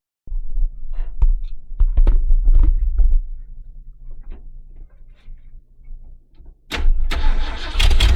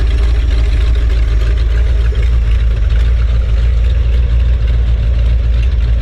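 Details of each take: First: 1970s Ford dentside ramp truck revived after about 10 years with a Chevy HEI ignition module rigged in: starter whirrs in bursts, then the V8 catches and runs with a loud, rough but steady rumble. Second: 1970s Ford dentside ramp truck V8 first run after about 10 years sitting, now on HEI ignition: low heavy idle with a loose, uneven lope and a hiss like a running faucet; owner suspects it needs a fuel pump and maybe a carb rebuild.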